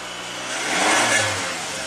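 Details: Toyota Camry from an auction lot, sat unknown time, fired after a blown fuse was bypassed with a 5 A test light: engine catches and revs up smoothly under throttle, pitch rising then easing back evenly, no misses or knocks; healthy.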